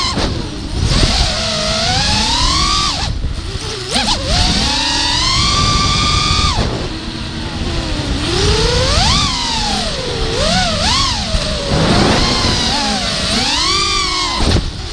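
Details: Beaten-up NOX5 quadcopter, T-Motor F40 2500kV motors, DYS XM20A ESCs, DYS 5x4x3 props, RaceFlight RC8, recorded on an onboard GoPro in flight: swooping motor whine with a rough, buzzy, uneven edge; suspected bent shafts, bad bearings and bent props.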